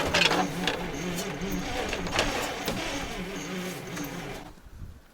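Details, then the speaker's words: ZIL crane truck petrol engine after 20 years standing, snowy weather: starter cranking weakly about four beats a second with a few brief firing bursts, never picks up; owner suspects it needs a little more petrol. "Мне кажется, он дал вспышку. Он дает вспышку. Либо надо сейчас еще чуть-чуть бензинчика ему."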